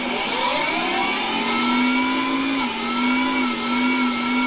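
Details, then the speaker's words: Small Hercus CNC lathe turning ½"x26TPI brass nipples at 3000 rpm, volume turned up: spindle motor whine wavers up and down, dips once, then settles to an even pitch during the added dwell, the spindle hunting for speed before stabilising. "in the next clip i've turned up the volume so you can actually hear the spindle hunting to find the right speed and then settling during the dwell"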